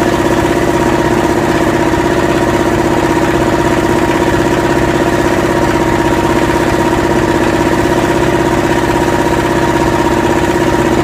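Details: Yanmar SB12 marine diesel on a sailboat, cold day (about 41°F), during fuel line repair: steady, fairly even idle clatter around 160 beats a minute after re-bleeding the fuel system, but it keeps stalling after starting; fuel supply suspected.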